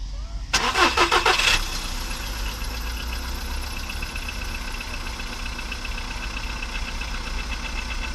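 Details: VW Polo Sedan with Lukoil Genesis Armortech 5W-40, phone near the closed hood at startup: fast metallic hydraulic lifter clatter for about a second, then a smooth, even idle; oil level slightly above the middle.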